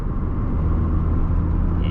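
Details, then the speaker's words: Car after a clutch repair that fixed a clutch roar and a knocking noise underneath; steady, even low rumble while driving, no knocks or jerks, drivetrain smooth and healthy. "Ele tá mais macio pra andar. E aquele barulho que tava aqui embaixo batendo também já foi arrumado."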